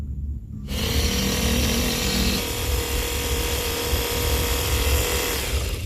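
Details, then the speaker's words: Radiator fan motor tested after repair, previously growling, weak and dead: smooth, steady electric hum at constant speed, no growl or scraping; fan motor sounds healthy. "Oke, ini suaranya sangat halus dan kita tinggal pasang ya teman-teman."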